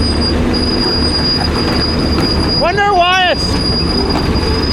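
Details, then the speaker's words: Old Grove crane, sitting 10+ years, creeping along after restart: loud squeal rising and falling over about a second; brakes on these are said to stick on; brake squeal while moving. "Yeah, that I forgot to tell you the brakes get stuck on on these."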